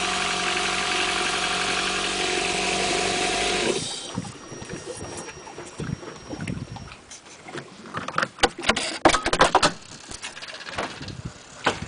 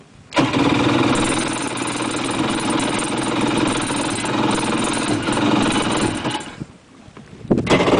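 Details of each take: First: Four-stroke jet ski just started, water in the hull: smooth, even idle hum that grows quieter amid splashes and knocks; healthy idle, quieter than the two-stroke. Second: Two-stroke jet ski, cold start in the lift: ragged, uneven pops while cranking that fire occasionally but never settle into a steady run, then die away. Firing is not yet enough to keep it running.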